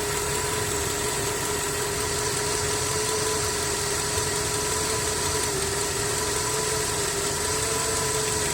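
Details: Skoda 1.6 BSF at steady idle: light, faint metallic tapping throughout; engine knock, cause not identified.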